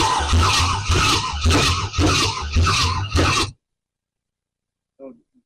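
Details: 1968 Camaro, 327 V8 rebuilt then sitting 15 years, Powerglide; catches and runs in rough surging bursts, then shuts off. Normal start after long storage.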